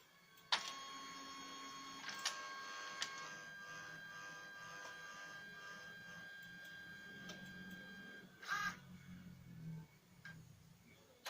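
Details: Lexmark MB2236 laser printer running with a harsh, rasping whir of several high tones from a dry, worn fuser drive; fixed by disassembling the fuser, greasing it and reversing the collars.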